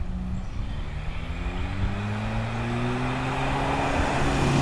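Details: Toyota pickup 22RTE four-cylinder with T3/T4 turbo at 8 psi boost, hi-flow cat and muffler: revving with a rising drone and raspy brrr on the exhaust note, largely from an exhaust leak at the wastegate.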